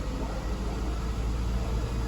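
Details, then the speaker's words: 2009 Honda 2.4 with misfires on cylinders 2 and 3 at idle and transmission not shifting. Revved lightly with A/C off, a deep rumble stumbles irregularly, and live data shows only cylinder 3 missing. Cylinder 3 misfire. "ahora otra cosa si yo lo acelero apagado apagado el aire acondicionado lo ero vean que el fallo ya no está en los dos nada más están en el puro tres"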